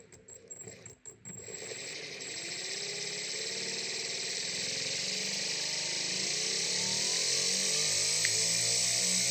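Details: Big scrapyard brushless DC motor driven through a 30 A drone ESC by a servo controller: after a few clicks, a high electric whine climbs smoothly in pitch as speed rises; the motor runs cleanly.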